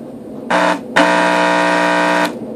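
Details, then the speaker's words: Graco paint sprayer pump motor powered up: two short loud buzzing hums with no spin-up, a strained electrical drone as it tries to move; motor seized internally and needs replacing. "so as you can hear it's trying to force itself to move and there's just something stuck inside of there it's beyond my understanding of what causes this but I do know this that's not normal"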